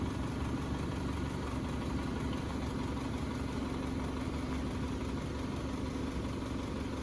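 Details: 2011-2016 Chevrolet Cruze 1.8L after replacing the intake manifold with an OEM unit including a new fuel rail, injectors, MAP sensor and tuning valve. It catches and settles into a steady, smooth idle with no knocks, ticks or hunting. Normal idle.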